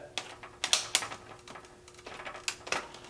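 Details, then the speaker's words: Traxxas UDR RC truck, wheel turned slowly by hand: irregular sharp pops and dry snapping from inside the differential; cause not pinned down. "if you listen closely as I turn this you can hear a popping in the differential here that"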